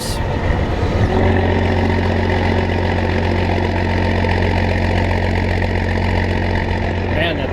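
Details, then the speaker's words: Old diesel in farm combine, only starts with added electric fuel pump since lift pump is insufficient, hot day, just started: deep steady drone, even beat, no knocks or misses; normal running. "sounds awesome i'll let it worm up a little bit and open it up charge the battery"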